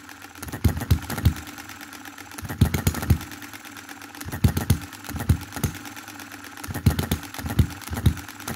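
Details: 2022 Enjomor Chinese hit-and-miss engine after fixes (spare piston ring, corrected valve timing, leaded governor weights, added spring for quicker latching): short bursts of quick firing pops every one to two seconds, then quiet coasting; normal running.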